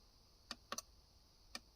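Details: Boat cabin, remote-switch module controlling mast, anchor, deck and navigation lights being tested: sharp single and double relay clicks, a few per second, switching cleanly; normal relay clicking.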